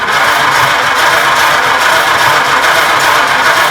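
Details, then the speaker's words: 1926 Oakland cranked after 75 years, oil system primed, rings unseated, plugs not tight and leaking compression and some oil. Steady, even cranking rhythm with no real hitch or dragging beat, so there is no weak cylinder and compression is even. "See how steady that is? See how steady that is? There's really no real big gittle in it."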